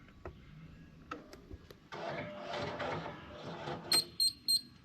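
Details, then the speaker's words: Bobcat T250 skid steer with no lift and no tilt fault: quiet cab, then a couple of seconds of whirring as ACS actuators move to calibrate, ending in three short electronic beeps; ACS light then comes on and handles lock again. "and I just heard the actuators move, which should have calibrated it."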